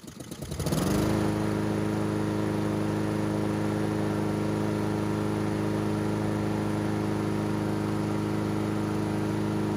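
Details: Honda GCV160 engine on a Husqvarna all-wheel-drive mower, previously choking out because it was tipped on the wrong side and oil saturated the air filter, auto choke working; it catches within a second into a smooth, even drone: normal running.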